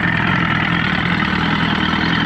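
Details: Evinrude 115hp two-stroke outboard (1970s) swapped onto 1973-74 Glastron, starts right up: steady even burble at idle with no misses or knocks; idles cleanly.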